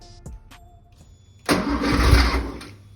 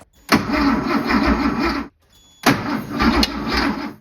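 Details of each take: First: 1973 Porsche 911T flat-six sitting since 1998, points ignition just fixed; faint clicks while cranking, then fires with a loud ragged roar for about a second and starts catching. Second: 1973 Porsche 911T, sitting since 1998: crank-no-start, with four cranking bursts of even starter churn that never fire. Spark test showed no spark, so the coil is being swapped to troubleshoot.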